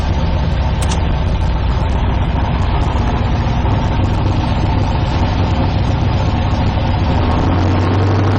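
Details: 1972 Nova drag build, shifted into first gear during transmission test after fluid drain (earlier 2-3 shift locked rear wheels); even steady idle dips and settles deeper as gear takes up; gears working, normal idle in gear.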